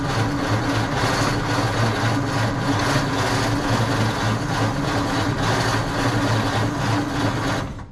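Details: 1948 Ford F5 truck, dormant nearly 30 years, choke fully open, starting fluid sprayed, distributor turned nearly to its limit: steady rhythmic cranking about four turns a second that never fires; battery may be running low, cable getting hot.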